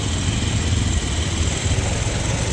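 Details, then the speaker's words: Motorcycle (Pulsar) that stalled in third/fourth gear when easing throttle, now idling in neutral after carburetor refit; steady even single-cylinder idle with no misses or surging, starts easily; normal idle. "మళ్ళా ఒకసారి start చేస్తే బండి మాత్రం హ్యాపీగా start అయిపోయింది after carpenter fit చేసిన తర్వాత vehicle start అవ్వడం జరిగింది"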